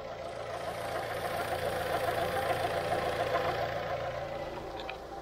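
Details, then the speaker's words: 2012 Fiat Strada petrol engine running, with a timing belt the owner says was recently replaced, possibly non-original: a fast, fairly regular mid-range whirring chatter suspected to come from the timing belt, not confirmed. "tão vendo vendo barulho barulheira da correia aí eu aí depois que eu vi o barulho ali eu disse para ele cara tem barulho"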